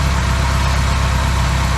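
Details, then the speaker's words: Classic Austin Mini engine idling on first start in 9 months, basic ignition timing, no coolant in yet; even steady low idle with smooth regular beat, no knocks or misses, oil and charging lights out, no leaks. "no leaks and obviously it was moving so yeah i'm well pleased"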